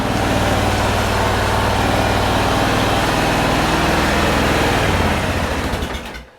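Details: 2001 Honda Rincon ATV, sat over two years, carb cleaned and rebuilt, charging voltage 13.4 V: even, steady putter around four beats a second, no knocks or misses; healthy normal idle.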